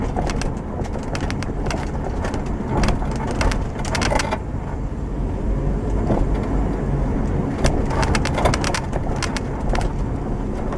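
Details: 2007 Subaru Outback after replacing the broken left rear upper strut mount that had caused a clunk/squeak over bumps; microphone in the back by the upper strut mount. Road rumble and light trim ticks over bumps, no clunk or knock; rear suspension quiet.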